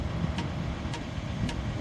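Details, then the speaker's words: Cheap Chinese diesel heater priming at startup: soft, even ticks about twice a second from the small diesel fuel pump over a low fan hum; normal pump ticking before the glow plug lights. "g ticking coming from the little diesel pump which clicks this is supposed to be a silent one"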